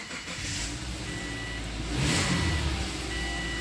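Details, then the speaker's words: 2005 Subaru Forester on road test after rear sway bar links: engine pulls cleanly and evenly moving off, no stumble or misfire under load, only road and cabin noise; running well. "oh yeah this thing is running peak"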